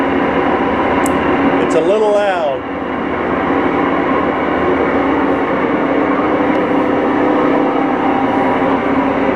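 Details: Whirlpool Cabrio washer during spin with an extremely loud, steady train-like roar; bad tub bearings, heard before installing a new bearing/seal kit. The shaft was badly corroded.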